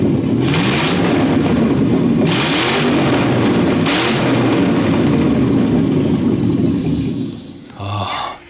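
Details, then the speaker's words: 6-litre V8 burnout car on open headers, free revving; three sharp clean throttle blips over a loud lumpy idle, headers cracking hard, oil sprayed on header bolts possibly burning off; healthy V8. "Do you like it, dude? Sound pretty good? Burning all the oil I use, probably on those header bolts."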